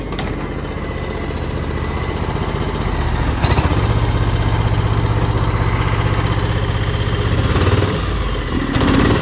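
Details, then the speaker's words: 2006 John Deere X720 V-twin, 722 hours, right-cylinder misfire appearing after about an hour of hard mowing and gone when cool. Deep, loping beat with dropped pulses; still occurs after plug, coil and injector swaps. Cause unknown. "uh it would start missing on the right side cylinder here and what I would do is I could pull the plug wire off that side and it would drop out or nothing would happen"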